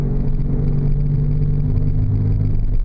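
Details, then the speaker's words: 2000 Oldsmobile Silhouette minivan at road speed with a deep, even hum. The wheel bearing axle hubs are suspected and about to be replaced; not confirmed. "so there's that hum hopefully you can hear it and hopefully the work we do today will resolve it"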